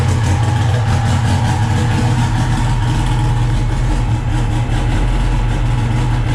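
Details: SRT-4 turbo four after a 420A head conversion, first start (hard to start without throttle) and running good: deep, even rumble with a steady beat settling into a clean idle, no knocks or misses.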